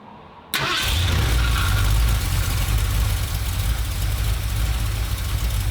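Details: 1977 Ford F-250 460 V8 with automatic, after the distributor is reinstalled and timing reset by turning the oil pump driver; first runs after 19 years and an engine fire. Catches at once and settles into a steady, fast, even idle with a smooth low rumble: normal fast idle.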